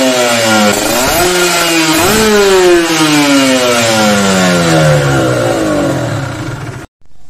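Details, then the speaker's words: 2-stroke motorcycle with an oversized carburetor main jet: revs climb but go blubbery and snoring at the top instead of crisp. Rich running. "itu contoh main-jet terlalu gede ada motor 2tak jadi atasnya itu bakso ngorok ya"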